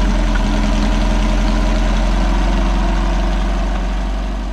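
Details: Possibly 1973 VW Baja Beetle, air-cooled flat-four, long-stored with no air cleaner, after choke adjustment and throttle cable lube: low, steady, even idle with a regular beat, settling slightly; healthy.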